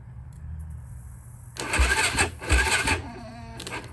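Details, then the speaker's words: 2006 Yamaha YFZ450 quad, unused for months, cranking sluggishly and unevenly on a weak battery. It cranked fast with the other quad's battery, so the starter works. Slow cranking from weak battery. "It was cranking slow. I did end up hooking up to my other quad with the foil battery and it was cranking fast."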